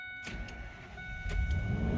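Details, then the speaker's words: 2000 Ford Excursion, Triton V10, 208,894 miles, just after new spark plugs and ignition coils: starter churns briefly, then engine catches into a steady, even rumble with no stumble or misfire; sounds much better, nothing unusual heard; normal start. "oh heck yeah that sounds a lot better I don't see anything leaking I don't hear anything out of the ordinary"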